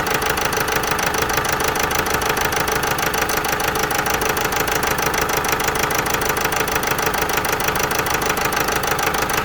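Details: Vauxhall Meriva 1.6 CDTI diesel idling with a rough, uneven beat and a steady stumble in its clatter: a misfire, with fault code P0016 crankshaft position–intake camshaft position correlation not plausible.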